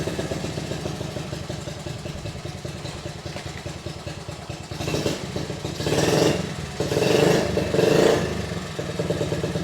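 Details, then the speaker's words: Honda Z50A mini trail bike, unridden about 30 years, after clogged fuel petcock blown out with compressed air and carb cleaner: single-cylinder four-stroke putters and picks up on throttle blips, firing evenly; runs fine, some throttle cable issues remain. "well that seemed to do the trick just blowing out the petcock that seemed to make a huge difference so now we're back in business"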